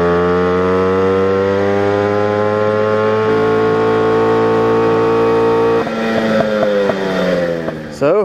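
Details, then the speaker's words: Moped two-stroke with performance carb on test ride, audio from camera in backpack: high steady buzz turning uneven and burbling near top speed, four-stroking from too-rich 76 jet; going down to a 74. "just got back from that as you can hear there definitely was four stroking there so we're going to go down one sizeing jet from a 76 to a 74"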